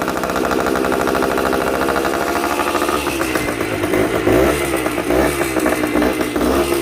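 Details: Yamaha 125 Enduro two-stroke, revived with fresh gas and new spark plug, on choke: crackly, buzzy two-stroke rattle swelling with throttle, firing steadily; running healthy.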